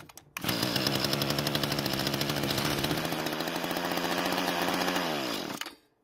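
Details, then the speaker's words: Stored Mantis tiller two-stroke, air filter off, test start on fuel poured into carburetor throat, confirming spark and compression; fires and buzzes steadily for several seconds then dies as fuel runs out, sounds healthy: normal running. "Fortunately, it started and ran for several seconds, which is fantastic news, and in my opinion, it also sounded very healthy as well."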